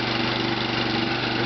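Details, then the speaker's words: Briggs and Stratton ReadyStart small engine with brand new muffler, just after cold start at about 28°F: fast even putter at steady idle, no misses, knocks or hunting; smooth and healthy. "you have it smooth and Flawless rich and Strat for you check out the brand new muffler"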